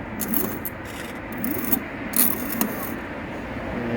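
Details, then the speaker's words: Brand-new e-bike hub motor kit under throttle: irregular rubbing, scraping creaks in bursts from the wheel, as if something is turning inside; cause unknown to owner. "I installed the e-bike kit. When I put pressure and I press this throttle, it makes a screeching sound, a running sound in the wheel. So that sound is coming from this wheel."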